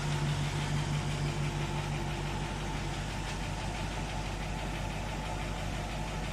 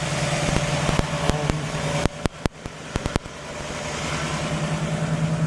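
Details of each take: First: 1960 Pontiac Catalina V8, 10.5:1 compression on premium fuel, warm idle: light fairly even ticking about three times a second over steady rumble; a couple of lifters ticking, one on each side, considered not a big issue. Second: 1960 Pontiac Catalina cold start on fast idle, quick steady beat with no misses, brief sharp clunks nearby; 10.5:1 compression; owner notes slight lifter tick on each side once warm; normal cold fast idle.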